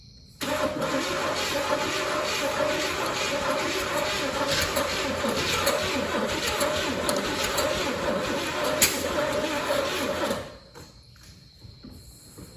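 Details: 1985 Oldsmobile Cutlass Salon after carburetor swap: about ten seconds of steady quick starter cranking with odd near-catch, then stops; cranks but never fires, no gas seen, burning plastic smell.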